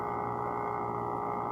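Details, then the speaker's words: AC compressor making a steady high-pitched hum at one constant tone, radiating through the wall, just before it shuts off; coolant pipe goes warm and the unit would stop working if left on; cause not identified. "before the compressor turns off and it that that humming sound radiates through the wall"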